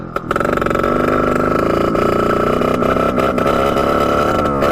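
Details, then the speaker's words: 1989 Yamaha YSR 50 two-stroke, long sitting, carburetor cleaned, bump-started, in gear at full throttle: high buzzing note with brief stumbles and dropouts; breaks up under load, owner suspects a spark problem, cause unclear. "see how it just breaks up like that first year all the way back"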